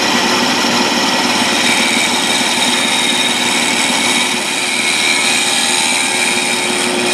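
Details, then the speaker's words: South Bend toolpost grinder running under test: a steady high spindle whine with a gritty, uneven hum, and the grind finish is chattery and uneven. The spindle bearings are judged shot. "you could hear the spindles making noise so I think the the bearings are shot so bearings are shot and the motor"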